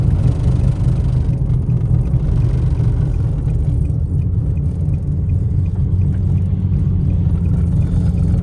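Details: Infiniti G37xS driven slowly with low tire and mangled front axle, wheel hub already off: heavy low steady growl under car; worn front wheel bearing with failing CV axle.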